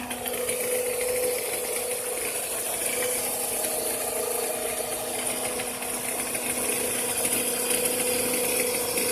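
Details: 2006 Toyota Camry, 220k miles, regular oil changes, making noise on cold startup: running petrol engine with a quick ratcheting tick, about four a second, over a steady hum.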